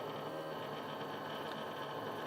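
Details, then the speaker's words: Unloaded stepper motor driven at about 6 ms per step: rough, uneven buzzing chatter, with the motor stepping back and forth and even turning in reverse. Stepper motor resonance. "j'accélère a encore un peu le moteur là il sait plus du tout ce qu'il veut faire"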